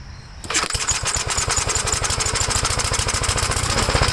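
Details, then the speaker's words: 1956 Gravely L single-cylinder tractor, choked start with the 1957 LI carburetor and bell crank changed for the governor rod: chuffs unevenly and stumbles at three to four beats a second; owner suspects an earlier governor runaway to full throttle damaged the head gasket or something else. "okay so we know this carburetor is good there's something else WR with the engine so I'm figuring when the governor had the mind of its own and revved up Full Throttle it revved up mighty damaged the uh head gasket or something else"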